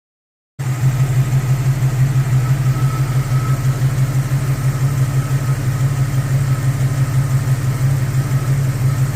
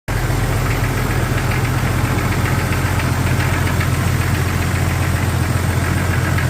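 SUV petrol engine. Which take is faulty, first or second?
second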